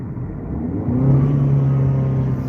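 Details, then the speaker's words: Dodge Dart driven at low rpm in sixth gear under throttle, check engine light on: low droning note wavering and stumbling, milder than before and smooth in neutral; misfire under load, spark plugs suspected. "it's still mad though all right so it could be our spark [Music] plugs"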